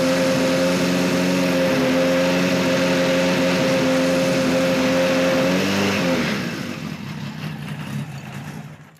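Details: 1973 Kawasaki Z1 900 that pops and sputters, run on a temporary fuel supply with the enricher on after an oil change: holds a rev with a slightly wavering pitch, then falters unevenly as it dies away; uneven running, cause not confirmed.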